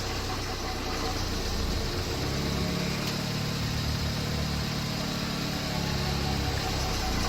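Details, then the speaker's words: Ford Escape EcoBoost 1.6 with rebuilt 6F35 transmission using some 2.0 parts, driving after repair: even engine drone under light load, no clunks, slips or whine; transmission pulls smoothly, normal drive. "Holy shit, it's actually working."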